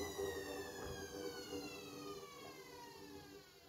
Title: A client just send me this....crazy noise from worn out bearings